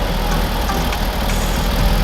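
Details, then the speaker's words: Audi S3 8L Mk1 with the AMK 210 engine, first start after sitting about 2.5 years once the battery was properly fitted. It settles into a low, steady idle rumble with no obvious misfire or knock. "Oh, yeah, that's it. Yeah. Hey! Runs, she runs."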